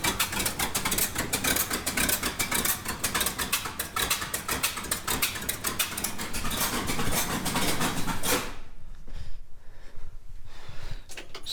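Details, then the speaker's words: 1969 Ford F-350 original FE 360 V8 at idle: uneven stumbling loping exhaust beat; cylinder 1 zero compression, 100 with oil, owner guesses rings or cylinder walls worn; misfire, cause unconfirmed. "it's not running too great um i checked the compression on that one hole number one and it had zero compression"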